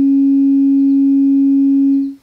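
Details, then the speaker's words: Audio amplifier with 2N3055 output transistors fed a signal-generator sine wave around 500 Hz to 1 kHz: steady pure tone with no buzz, crackle or warble, a good clean signal. "That sounds pretty close. So we know that's a good clean signal."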